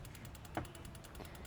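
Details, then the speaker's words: Turbo Integra project car after an 1800-mile road trip, injectors swapped to diagnose: crisp, even ticking about nine clicks a second over a quiet background from the working injector, normal fuel injector clicking; injector 2 confirmed bad. "You can't really hear it on the mic, but I can hear it barely click. The other one clicked a lot."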